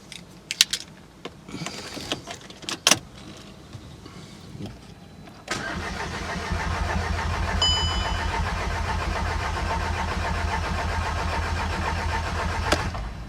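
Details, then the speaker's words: 2012 Golf GTI 2.0 TSI, freshly rebuilt engine assembled with assembly lube, oil system dry, first crank before starting: starter turns the engine evenly for about eight seconds with no knocks or rattles; normal, healthy cranking. "well it's cranking over there's no unusual noises so let's right there you go"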